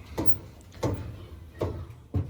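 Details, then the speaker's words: Dryer drum turned by hand, unplugged: dull thump every 0.6–0.8 seconds, once per revolution, caused by the drum felt seal coming off and unbalancing the drum. "So, so far, I've already determined, guys, that this quote-unquote seal has come off and causing like a disbalance. You hear it? And as it's spinning, it's making that noise."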